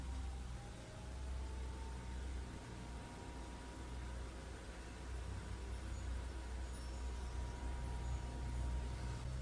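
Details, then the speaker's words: Chinese diesel heater with rotary controller, just switched on after priming; quiet steady hum as the fan spins up slightly over several seconds during the startup routine, before the pump starts clicking; normal fan startup. "there's a startup routine now the first thing you'll hear is the fan starts you may hear that now"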